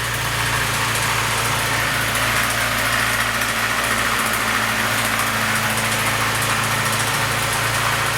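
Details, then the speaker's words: Car with January 7.2 Euro 2 ECU, no stored faults, coolant 82°C, idling rough when cold: busy metallic clatter over a steady idle hum; timing chain rattle, before valve adjustment. "иногда цепь тарабанит"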